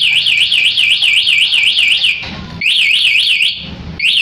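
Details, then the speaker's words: Yamaha Jupiter Z1 with CR-7 alarm armed, ignition switched on without disarming: loud high warbling siren sweeping about four times a second, cut briefly twice, and switch starting is blocked; alarm triggered by ignition tamper. "Nah, pada saat terjadi letter T dari sini, sirene bunyi, kemudian starter via saklar dari sini tidak bisa hidup."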